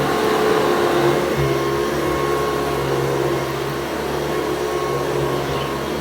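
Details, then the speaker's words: Restored 110 V USA Hoover Convertible U4173 on deep carpet: even motor whine with steady brush-roll thrum, no grinding or rattles, running healthy. "And it's replaced with the sound of the beat bar hammering the floor. It really is quite good."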